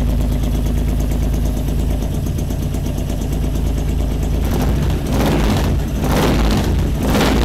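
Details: 2006 Honda VTX1800 brought in for top-end ticking after dealer work. In this clip a deep, steady V-twin lope at idle with light blips and no knock or tick riding on top: normal idle.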